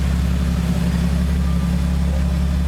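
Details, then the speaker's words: 1982 Ford TE Mk4 Cortina 80, started cold in winter: quiet, even low hum at idle with no rattles, taps or misfires; starts easily, normal healthy idle. "it starts quite easily pretty quiet i don't know whether it's been worked up or not"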